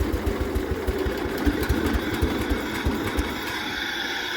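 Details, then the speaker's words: Barn-find 1973 John Deere 140 H3 garden tractor, sat about 20 years, just revived and warmed up a little: slow, lumpy idle with uneven loping thumps barely keeping it running; idle speed set way too low, PTO works. "Okay, the idle is set way too low, but PTO even works."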